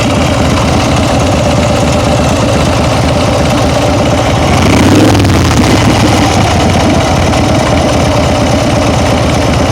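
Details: Steady idle with a quick light tick of about three to four per second plus a brief blip; owner thinks it comes from the rear cylinder, origin unclear.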